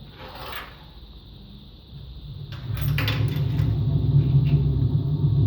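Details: Empty washing machine on rinse and spin with no clothes: a deep steady bearing rumble swells and stays loud at speed. No leak was seen, and the owner suspects both the motor bearing and the drum bearing.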